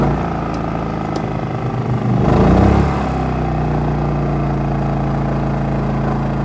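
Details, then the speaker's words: RV generator in eco mode, fridge and lights running, without the ActiveStart soft starter: hum jumps sharply in speed and loudness for about a second as the air conditioner compressor kicks on, then settles; startup surge. "when our air conditioner kicks on it surges the generator up real high and it uses a lot more power and then it kind of equals out over time"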